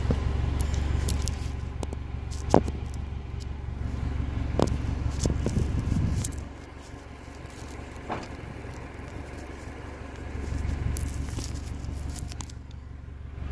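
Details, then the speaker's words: 1998 Honda Accord with a delete idling, louder when cooler and barely audible once warmed up; a low, steady exhaust drone that softens partway, with handling clicks over it, a smooth, healthy idle. "and so when it's idling you're barely here when it's warm up you won't hear when it's cooler here idling"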